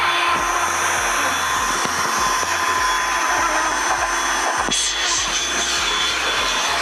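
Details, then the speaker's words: Window air conditioner after home cleaning and washing: loud steady rush of air with a thin whistle on top from the fan, which needs adjusting to remove the noise. "Şu anda fandan da ses geliyor. Bu sesin gitmesi için biraz ayarlayacağız."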